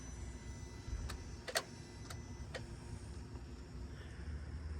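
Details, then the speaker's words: 2004 Mercedes S55 with the key off: water in the engine fuse and relay box from a clogged drain tube shorts power to ground, making relays click irregularly over a quiet hum when touched, lighting warnings on the cluster. "See, there's a short because it's wet. And I bet you, it's as if you turn the key. It's clicking. I can hear the relay clicking."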